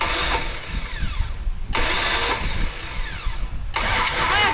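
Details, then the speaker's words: 1974 Dodge Dart Swinger, old unknown small block, finger over a spark plug hole to find TDC: three uneven starter bursts with no firing or catch; crank no start. "Nothing. Hold on. We got to let it crank first. Nothing. It's going to catch."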